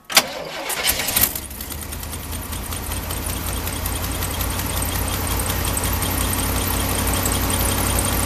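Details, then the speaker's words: Truck started cold after a spark plug wire repair: it cranks briefly, catches, then settles into an even, steady idle sitting slightly high because it is cold, with no misfire; normal cold idle. "Idols gonna be a little bit high because the truck is cold but it will fire it up"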